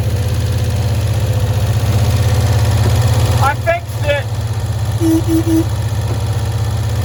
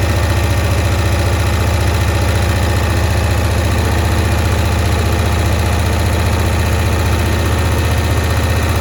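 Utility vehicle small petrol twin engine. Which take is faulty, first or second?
second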